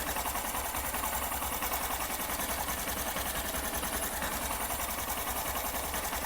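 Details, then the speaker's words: Honda SP 125 BS6 after tappet (valve clearance) adjustment only, mic close to engine at idle; fast, light, even patter with no tapping, earlier tik-tik noise fully gone, which the owner had feared meant a timing chain replacement. "अब देखिए bike को start किया और engine जो टिक टिक का नज आ रहा था 100% रिमूव हो गया देखिए य बिल्कुल नज नहीं आ रहा"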